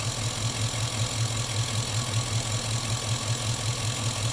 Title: Chevy engine knock?